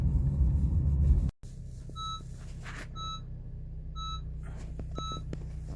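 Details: Honda CR-V running with a warning chime about once a second, multiple dash lights including low brake fluid, ABS and traction control, triggered by low brake fluid sensor from brakes worn to bare metal.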